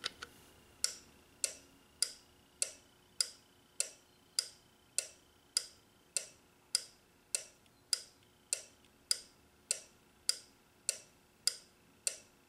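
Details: Toyota or Nissan relay on a Relay Buddy tester: crisp, even clicks a bit under once a second, clean and identical with no chatter; relay switching properly.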